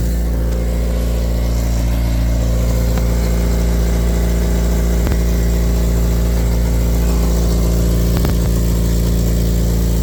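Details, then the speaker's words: Honda DC5 at idle with exhaust mid-pipe come apart: loud, steady idle with deep, rapid chuffing from underneath as exhaust blows badly at the split; weld or new mid-pipe planned. "you C it's blowing bad so like really [ __ ] bad but what's mad is the fact that despite the fact that it's blown really bad it now sounds like it did before it actually fell apart"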